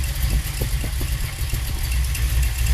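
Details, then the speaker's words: V8 with rebuilt Holley 4150 double pumper carburetor, idle mixture screws adjusted in too far: ragged, uneven idle missing beats and sagging toward stall, worse than before; running lean, best was about 1.5 turns out. "Alright. I don't think it's better. In fact, I'd say it's worse."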